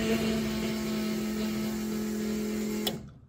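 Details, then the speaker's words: LS-swapped Chevy S10 after rewiring, ignition switched on after two swapped wires were corrected: a steady, even electric hum that cuts off cleanly, showing normal fuel pump priming. "All right, so ignition should run the fuel pump. And it does not. How about now? Oh yeah."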